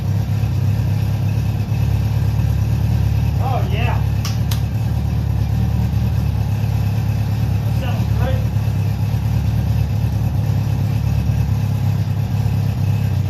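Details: Honda CB700SC Nighthawk inline-four idling after carb cleaning (clogged pilots, needed choke), old gas drained, non-ethanol fuel, 4-into-1 exhaust, airbox removed, throttle cables disconnected; smooth steady low burble, no misses or knocks; normal idle.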